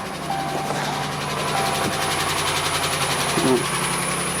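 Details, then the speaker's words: 2018 Ram 1500 at start-up and idle: thin high squeak rides over the engine; worn serpentine belt, pulley also suspected, both to be replaced. "Uh when it when you start it, you can hear squeaking sounds. So most likely this is serpented belt issue."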